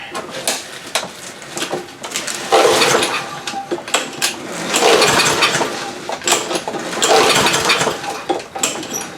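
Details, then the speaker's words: Free roadside Lawn Boy push mower, tried in garage without air filter, damp from rain, old fuel left in tank: repeated pull-cord cranks about every two seconds, never catches; no-start, carburetor suspected. "nothing so to the carburetor it is all right so we'll just start pulling apart the carburetor see what happens"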